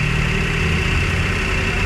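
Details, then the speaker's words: Toyota Wigo after repair of an engine that turned noisy when water got into the air cleaner in heavy rain (connecting rod ordered, two-day job): smooth, even idle with a steady low rumble and no knocking; quiet and healthy now. "Kung narinig nyo yung andar ng pagdala niya rito. So eto, titingnan natin mga boss. Tahimik na mga sir."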